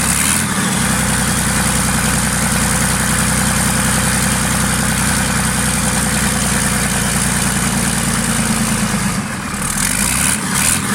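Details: Freshly marinised 12V Cummins 6BT boat diesel, fuel pump screw turned up a half turn: steady, even clatter at settled idle with a firm low rumble, no misses or knocks; normal idle.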